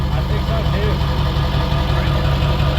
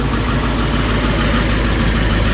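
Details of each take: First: Ford 7.3 Powerstroke diesel, first start after KC300X turbo install with new stack and replaced oil cooler, on a 42° day: deep steady idle with even low rumble, no ticks, knocks or exhaust puffing; sounds better, possibly quieter, normal idle. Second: Ford 7.3 Powerstroke diesel just after KC300X turbo and oil cooler install, exhaust not yet finished: loud, raw, even idle rumble with harsh bark from the open down pipe; turbo oil burning off, no leaks seen.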